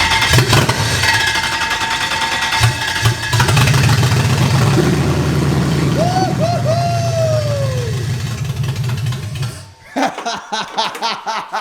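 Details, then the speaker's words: Toyota LS400 V8 swapped into a BMW E30, first start with no manifolds fitted: with crank and spark confirmed, brake cleaner is sprayed in, bypassing the injectors. The engine cranks, catches and revs roughly for several seconds, then dies as the spray burns off because no fuel is supplied. "so if we just spray some brake cleaner we're eliminating the fuel injector so if it starts great then we can p the fuel lines up um if it doesn't start we know there's something wrong with the injectors but it's going to run it'll run"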